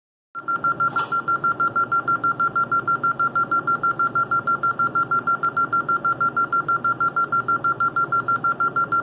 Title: Alarm Building 15 beeping dialer problems